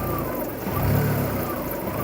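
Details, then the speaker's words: 2002 VW Golf 1.6 petrol, 128,000 miles, held next to the engine: idle revs swell and sag over about a second, the worst it has been; idle hunting attributed to a faulty lambda sensor; no head gasket issue. "That's the worst I've ever heard it. It's usually just a slight rev. Like I say, it's down to the lambda sensor."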